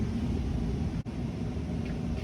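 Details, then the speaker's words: Residential HVAC indoor blower (evaporator fan) turned on at the thermostat during basic troubleshooting: even steady rush of air over a low hum, no rattle, scrape or surging; fan confirmed working, normal. "okay so let's say our fan turned on great so now we know our fan works"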